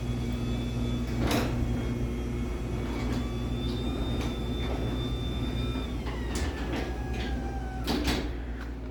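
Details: LiftMaster 84505R belt-drive opener on a T-rail: low, even motor hum with a soft whir and a few light clicks as the door travels; runs smoothly and normally.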